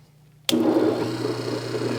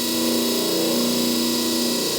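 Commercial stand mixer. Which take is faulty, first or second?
first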